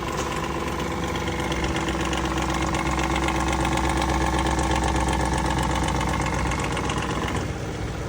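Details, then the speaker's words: Lexus 460 V8 with just under 300,000 km, cold start: a loud fast tapping, about four a second, from the left intake cam sprocket and valve lifters; the engine also burns oil and its level is at minimum. "经过我们检查，这个异响的原因，冷启动的时候有一个哒哒哒的声音呢，来源于左边这个进气链轮，还有一个哒哒哒哒哒的声音呢，主要是来源于这个气门顶筒。"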